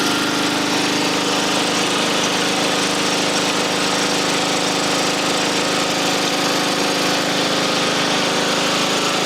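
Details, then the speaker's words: Small single-cylinder engine after an engine swap and new crimped battery terminal, started on full choke: runs steadily at a fast, even idle with a busy rattly bark, firing cleanly; normal running. "All right. I need a screwdriver. It's running. Woo!"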